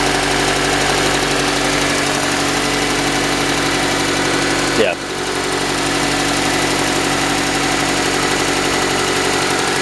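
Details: Engine at startup: a light, fast tapping of about four per second over the idle, steady throughout; source unconfirmed, possibly valvetrain or bottom end; planned fix is cleaning the sump, new pan gasket, thicker oil and treatment.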